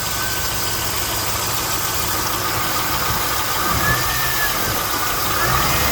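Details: One-owner 2001 SS LS1 V8, 109k original miles, manual, engine never opened, sound present since purchase: even idle with light rapid top-end ticking; valvetrain tick, lifter noise or normal sewing-machine sound uncertain.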